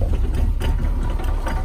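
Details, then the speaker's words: Mahindra Roxor diesel, about 21 hours and 96.3 miles, just after first start following polar-vortex outdoor storage at about -5°F: low, slightly uneven rumble; idling rough from sitting in the cold, left to warm up. "it's kind of rough from sitting but you just let it idle let it do its thing"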